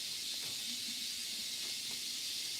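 A steady, even high-pitched hiss with nothing else underneath, unchanging throughout; it sounds like noise from the earbud microphone itself. Cause suspected, not confirmed.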